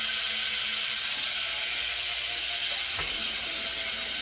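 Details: S&M Credence BMX freestyle bike with race bearings in the hubs and 25-9 gearing: quick, light, even ticking over a soft whirr as the wheel coasts freely; the rear hub ratchet sounds normal.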